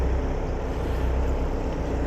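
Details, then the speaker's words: Boat engine on a mooring, run for an hour to charge batteries, idling low and rough with its note hunting up and down as it runs out of fuel. "the no of the engine hunting up and down that's because it's run out of fuel now that's okay cuz that's solvable"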